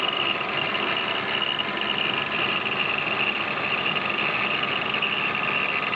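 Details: 1997 BMW E36 320iA at idle around 500–700 rpm, water pump and pulleys previously replaced: even fast metallic chatter over quiet idle; rattle from the original spring belt tensioner, fixed by fitting the newer-model tensioner.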